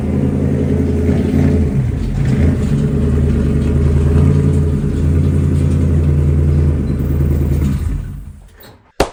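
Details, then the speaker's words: 2009 Grand Marquis, 5-speed swapped, cruising gently: steady low rumble with an uneven scraping, rotational grinding, caused by a snapped Watts link stud rubbing the pinion flange. "I was driving as calm as humanly possible just driving up the highway when the crazy grinding noise started and that was basically when I pulled over and was was able to start filming this video"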